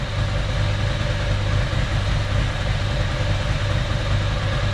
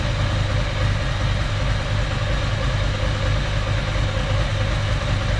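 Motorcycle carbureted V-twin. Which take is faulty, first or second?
second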